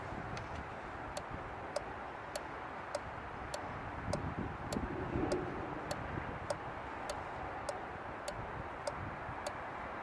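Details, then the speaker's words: Relay from the HVAC blower circuit of a Fiat Doblò with an inoperative blower, bench-tested on a relay tester: crisp, evenly spaced clicks over faint hiss through 10 cycles, then a green light; relay is good. "and it comes out it does 10 cycles and comes out green light which means our relay is good"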